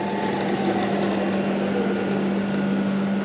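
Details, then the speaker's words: Cheap CNC knee mill spindle in high range at 2400 rpm: steady, even hum with one clean constant tone, no knocks or roughness; surprisingly smooth, spindle healthy. "je suis vraiment choqué de voir à quel point c'est fluide, c'est une gamme haute qui fait 2400 tr/min"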